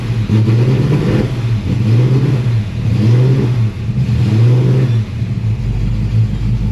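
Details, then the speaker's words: Carbureted Mustang idling during an AC recharge: the low hum sags and recovers as the AC compressor engages and loads the belt, at first mistaken for the choke closing too far; idle change as the compressor kicks in. "Sounds like maybe the choke closes a little too far. Nope. The compressor went on. I heard the belt go."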